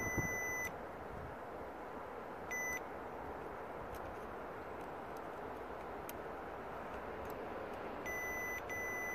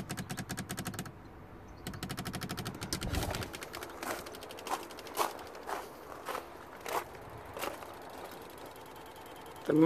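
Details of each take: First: 2005 Mercedes S320 W220 with wipers not working and relays clicking on the left SAM, multimeter continuity check on relay pin wiring: short clean high-pitched beeps, wire unbroken at the probed points. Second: Mercedes S320 W220, left SAM relays chattering in sharp bursts every half to one second when the wipers are switched on, with no wiper motor hum; the wipers don't work and the noise stops when the plug is unplugged.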